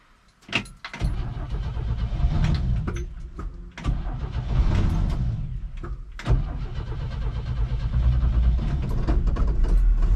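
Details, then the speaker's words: 1969 Chevy truck with inline six, parked about 30 years, with new points, cap and rotor and a carb kit. Throttle pumped, then long uneven cranking before it catches to a low rumble. Reluctant start. "give her a couple pumps and well maybe not seems she don't want to run huh always running come on maybe not"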